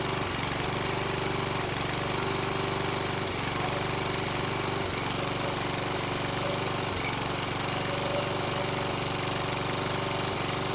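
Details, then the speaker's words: Toro Recycler mower with Kohler 6.75 (XT675) engine after fitting a replacement carburetor: steady drone with brief cutouts of milliseconds before catching, heavy smoke from burning oil; intermittent misfire, better than with the original carb. "it was uh cutting out intermittently but a lot better than it was with the um original carb it would cut out for a second or two and then catch itself"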